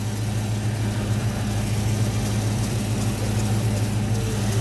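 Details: 1986 Ford Mustang LX Foxbody V8 idling after high-torque mini starter install while alternator is checked (reads 14 volts): smooth even idle with steady low burble, no whine, squeal or knock; engine and charging system healthy.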